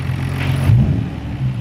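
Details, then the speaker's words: 1990 Nissan R32 Skyline GT-R RB26DETT after new fuel filter, spark plugs, coil packs and rechecked injectors to cure misfiring: deep, even note with quick blip, no stumble or miss; sounds healthy. "sounds pretty good"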